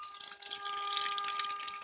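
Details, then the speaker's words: Home water pressure regulator humming: a steady mid-pitched hum with rushing water hiss as water passing the diaphragm causes vibration. A small water hammer shows as fluctuation on the pressure gauge. "humming is coming from here that means there's water passing by the diaphragm and it's causing vibration here you can feel vibrating"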